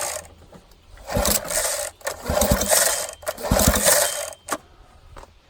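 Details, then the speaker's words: 1987 Johnson 9.9 hp two-stroke long-shaft outboard, spark plugs removed: three quick rope pulls spin the motor freely with an airy, throaty rasp and no firing; compression then reads almost 120, turning over normally. "throaty sound let's see what kind of pressure it builds up here"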